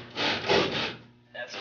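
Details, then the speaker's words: 1988 Toyota Supra MKIII with 1JZ, modified steering knuckle, bump stops ground, steering damper removed: rough scraping rub in bursts at full steering lock; tyre still grinding on the sway bar, wheel spacers planned. "you can hear it's still grinding on the sway bar so there's still more potential to get angle out of this"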